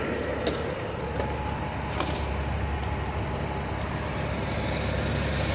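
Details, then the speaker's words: 2007 Nissan Versa at idle after installing a new A/C compressor (old clutch burned), charging with R134a and replacing a blown fuse: even idle with a faint extra hum from the engaged clutch, no chatter or grinding. The compressor is working normally. "okay now you can hear the compressor CL is working"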